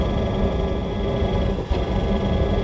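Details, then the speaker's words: RV Hydro Hot diesel burner during annual service: steady roar briefly dips and sputters, flame seeming to go out and relight with a puff of smoke; owner hopes it's just a worn fuel spray nozzle, not confirmed. "did you hear that it just stop smoking spend temperatures not quite as cold Lena there it's like the flame just goes out and then has to come back on again"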